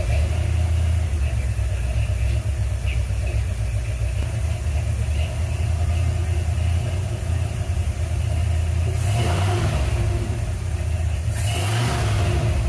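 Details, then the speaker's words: 1977 Ford F-100 351M V8 just started after replacing the bad 2-barrel carburetor, mixture screws 1.5 turns out: deep steady burble with a couple of small blips, idling okay; valve cover leaking, fuel apparently leaking at accelerator pump. "all right well good news is we got it running sounds like it's idling okay"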